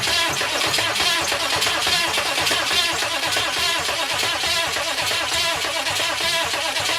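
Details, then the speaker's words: 6.5 turbo diesel Suburban with newly installed starter: steady starter churn at about one beat per second, never catches; cranking with no start because no fuel supply reaches the injection pump. "okay we know she's cranking now so that's a check we can call that a check"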